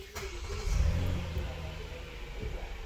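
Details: 2022 Hyundai Palisade, known-good car: brief starter crank, then the engine catches and settles into a smooth, steady idle with no knocks or misses while cam and oxygen sensor data are read.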